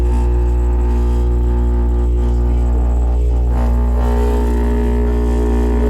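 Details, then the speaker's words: Noisy refrigerator compressor before replacement: loud steady low hum with heavy droning buzz from vibration on worn internal suspension springs, not repairable, so the compressor is replaced. "Depois que uma geladeira chega nesse estágio de vibração, né? É interno, não tem como você abrir, né, e substituir as molas da suspensão."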